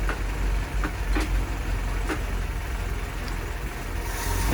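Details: Land Rover Series 2a, first start after engine rebuild: steady low engine note with a few crisp throttle blips, revving up and settling back cleanly; temperature coming up, no leaks seen, sounding healthy and even.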